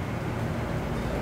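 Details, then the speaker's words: Toyota SW4 (2016-on) power tailgate strut, bench-run: a rough, gritty steady-pitch motor drone while raising. Lowering is OK, but raising is noisy from the spindle mechanism, which is considered impossible to recover. "ó como é que tá barulhento at que para baixar Tá OK mas para subir escutem viu aqui"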